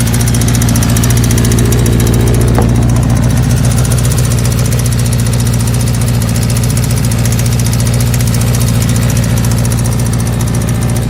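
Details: 1984 Kawasaki GPZ, air-cooled, running again after a newer battery, fuel line and carburetor work; steady low throb at idle with an uneven, lumpy beat and slight misses. Rough idle, cause not yet pinned down.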